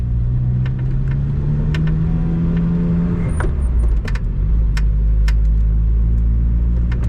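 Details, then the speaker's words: Lotus, intermittent creak (more creak than squeak) from driver's footwell or left dashboard while driving, even on smooth roads, on a flat garage floor and with clutch in; louder pulling away, not RPM dependent, worse on hot days; persists after felt added to sill, starter-button and vent panels. "you can hear those creaking sounds i guess it's more of a creak than a squeak but you could even hear it when i was in my totally flat garage which has a perfectly smooth surface happens even when i have the clutch in"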